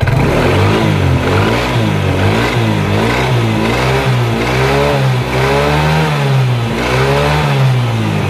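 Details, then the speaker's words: 2010 Yamaha Mio carburetor scooter, rear gearbox (gardan) after reassembly with fresh gear oil, spun by hand: smooth even drone with no rough grinding or hum; normal running after repair. "kita putar si ininya Ee spulinya kita dengar suaranya dan ternyata suaranya Udah mulus banget"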